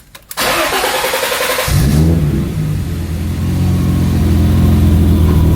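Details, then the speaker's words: BMW E30 after fuel pump replacement, key cycled a few times to prime the pump: brief cranking, then fires cleanly, flares and settles into a smooth, even idle; normal start. "so after you do it a couple times you should be able to start it"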